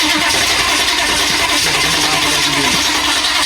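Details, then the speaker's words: 1985 GMC Suburban diesel cold start with glow plugs glowing and a light throttle: rough, uneven chugging, hissing and sputtering while cranking, with black smoke, as it struggles to fire. "Black smoke. >> Not a little. There you go. Look at that cold start."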